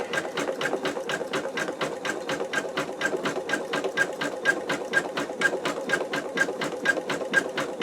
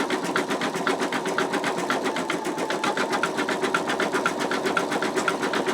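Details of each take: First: Embroidery machine stitching out an in-the-hoop wallet: rapid, even needle stitching with a faint high chirp each time the embroidery arm moves, attributed to the arm needing lubrication. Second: Embroidery machine stitching an in-the-hoop wallet design: steady needle tapping at about two strokes a second, even and crisp with no knocks or snags; normal stitching.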